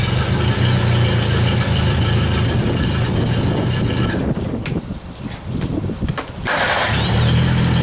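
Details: Yamaha F60 outboard: steady knock about 3.5 per second over idle, briefly fading as engine dips; heard at crankshaft near cylinders 3–4, unchanged with those plugs removed; consistent with piston slap.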